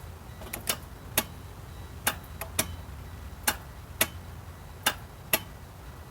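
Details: 1997 Geo Metro that won't start despite a new starter, a bypassed clutch switch and a sound ignition-to-starter wire: sharp dry single clicks at uneven intervals, about one and a half per second, with no cranking; cause unclear.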